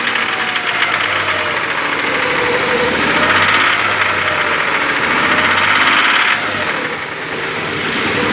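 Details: 2000 Nissan Xterra SE 4x4 3.3L V6 after overheating from a stuck thermostat, no milky oil or steamy exhaust, noise same with belts off; rapid, somewhat uneven metallic ticking-knock about four per second at idle; engine knocking after overheating.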